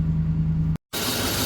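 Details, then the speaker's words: 2011 GMC Sierra after no-crank, with green-corroded run/crank relay and suspect fuse panel: engine finally starts, steady low even idle with no misses or knocks; normal idle. "oh good it's running I got to get in the shop before it"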